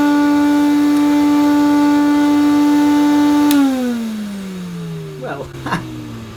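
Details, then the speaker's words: Vintage metal-bodied Hoover 427 cylinder vacuum cleaner running with one tube attached: a steady motor tone, then the pitch sags as it coasts down, with uneven rattly bursts near the end. Abnormal noise during motor run-down. "Ooh, it's made that noise again. It makes this funny noise just as it's winding down."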